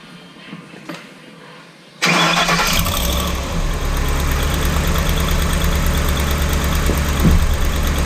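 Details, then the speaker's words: 2012 Ford Raptor 6.2 V8 after replacing the exhaust manifold, gaskets and studs following a broken right-rear exhaust stud. Starts first crank into a smooth, steady idle with no ticking or puffing: the exhaust leak is fixed. "the only thing left to do is to start this thing and see if the exhaust leak went away which it actually worked really well"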